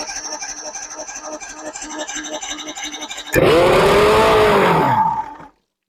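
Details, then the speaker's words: 1993 Evinrude 115hp outboard, unknown history, after primer bulb squeezes: steady slow cranking churn, then a loud rough two-second burst that dies; runs only on the primer solenoid; owner suspects dirty carburetors. "I don't think she's gonna run. She only runs off the fuel primer, the solenoid."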